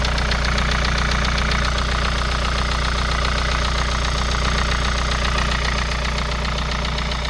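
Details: Kia Sorento Prime 2.0 cold start: steady, even knocking about two and a half times a second over rough cold idle; engine knock when cold.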